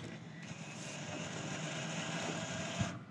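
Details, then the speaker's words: Fuel-injected 2007 Yamaha C3 XF50 scooter after installing a replacement fuel tank, on jump charge: the fuel pump gives a short rising whir with a gurgly, uneven edge as it primes, drawing air in the line. "heard a whole bunch of air in the pump right then."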